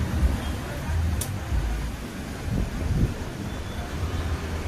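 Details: Honda Dio BS6 scooter with a starting problem, run after reseating the fuel filter and its locking rubber ring: steady low putter from the small single-cylinder engine ticking over evenly with street noise; runs normally.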